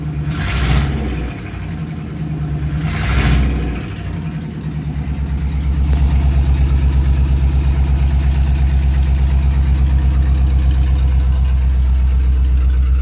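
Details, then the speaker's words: 1938 Ford idling in neutral: steady but lopsided idle with a regular shaking beat about three per second; cylinders 2 and 3 dead, coil packs doubted as the cause. "so number two and three are not doing anything I wonder what that's all about"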